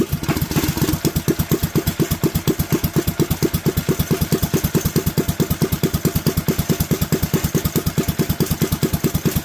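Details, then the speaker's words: Predator 212 single-cylinder engine after upsizing carburetor jets from a lean setup: even, steady popping at idle with no hunting or stumbling; much happier, clean normal idle. "much happier idle"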